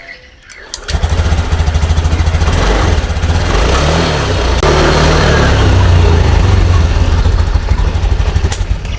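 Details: Honda Beat FI scooter after repairing broken wire to fuel pump (pump wasn't humming): short starter whirr, catches first try, steady even idle with no misfire; normal start.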